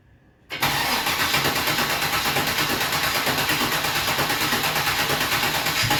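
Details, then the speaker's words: Engine running a rebuilt Rochester Quadrajet 7029202 carburetor from a 1969 Corvette, first start on a freezing day: cranks, catches at once, settles into an even, slightly lumpy fast cold idle with a steady pulse, no misses. "Fires up. Nice. Sounds good."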